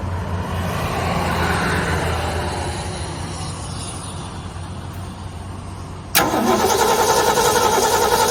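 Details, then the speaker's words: Ford Galaxie with new battery, gasoline poured down the carb: steady cranking chug about three and a half beats a second, never catches; engine turns over but gets no spark. "don't sound like it's sparking too much let's let's check that out"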